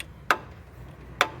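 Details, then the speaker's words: Camshaft on a 2017 Renault Sandero 12V three-cylinder, about 70,000 km, engine off with cylinder head already redone: two sharp metallic clacks as the cam is pushed and pulled by hand, showing excess end play from worn thrust bearings. "olha o comando galera como bate na mão ele tá fazendo você imagina em alta rotação isso aqui dá para você ver ó"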